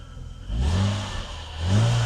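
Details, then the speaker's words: Mercedes W126 300SEL, low mileage, after fuel distributor repair (clogged inlet filter and blocked pressure regulator valve): idling about 800 rpm, high intake vacuum, two quick clean blips settling back evenly, no stumble or rattle; engine quiet and healthy. "从引擎的的宁静度属于杂音也可以听得出来，非常好。引擎运转非常顺畅，"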